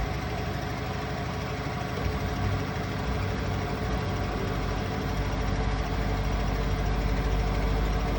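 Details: Asko washing machine ramping up to final spin: deep rumbling drone with uneven knocking underneath, a weird noise; cause not pinned down.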